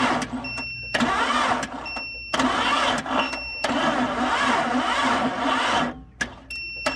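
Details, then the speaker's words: Barn-find later-model 1998 Jeep Cherokee XJ, long sat, on jumper cables and a booster pack: short cranking bursts at about four slow compression beats a second, with some oil pressure; the battery can't spin the engine up to speed. "well we did get a little bit of oil pressure even as slow as she's turning over so that's a good sign uh i don't know if these jumper cables and this booster pack is gonna work"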